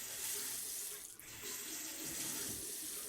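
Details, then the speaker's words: Household plumbing a week after flushing the system: steady hiss of a running faucet with no bangs or knocks in the pipes; water hammer gone without arresters. "I still don't hear any water hammer, so that's good. Didn't have to add any water chambers or arresters."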